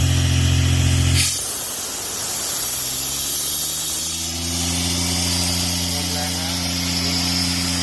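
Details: Used Airman PDS90 air compressor, 3-cylinder diesel, air valve opened: loud rush of discharged air drops away leaving the diesel running steady and even; gauges normal, strong air output. Normal running with air discharge.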